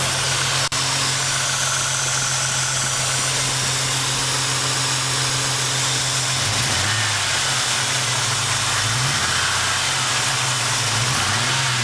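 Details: Ford Mustang idling: steady, then wavering and dipping irregularly, a P0300 random misfire from a vacuum hose not attached correctly at the intake manifold; P0171 remains, owner suspects clogged fuel filter or fuel pump.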